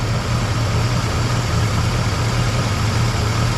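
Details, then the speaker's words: 1961 Cadillac V8, idling at about 20 psi oil pressure after carb adjustments and disconnecting a large vacuum hose: deep, even burble with no misses or knocks; smooth, healthy idle. "all right well Leaps and Bounds of progress she's idled down running pretty good"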